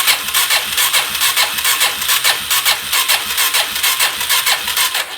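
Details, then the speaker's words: 2017 Suzuki DR-Z400 that won't run, cranking on full choke with clutch held: sluggish starter grinding about two strokes a second with no firing; cranks slowly, no apparent fuel reaching combustion chamber, won't start. "doesn't seem like there's any fuel that's been pouring into the combustion chamber not cranking very fast either"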